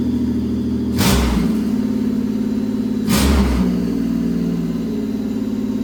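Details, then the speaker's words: Pontiac Fiero after 3800 engine swap, first start once running; engine catches, two quick throttle blips lift the pitch, then an even steady idle before coolant is filled; normal start and rev. "So, now that the car runs, which is awesome, I am going to fill it up with coolant now."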